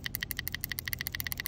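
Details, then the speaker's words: Sprinkler valve solenoid removed and bench-tested with a 9 V battery: quick, crisp, evenly spaced clicks, about a dozen a second, showing the solenoid pulls in and is good. "now when i hit these if it's working you're going to hear a clicking noise can you hear that"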